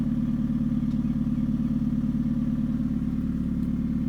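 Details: 2013 Hyundai Genesis Coupe 2.0 automatic at idle: even fast rattle, about three beats per second, over a smooth idle; owner suspects the engine, the engine mounts, or a low-hanging exhaust, unconfirmed; rattling noise.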